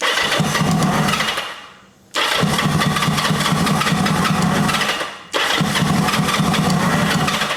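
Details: 1980 Kawasaki KZ750 with a fuel line leaking at its connection: on three tries it catches and revs about two seconds, then dies as cranking stops. Owner suspects the ignition cuts when the starter button is released; unconfirmed.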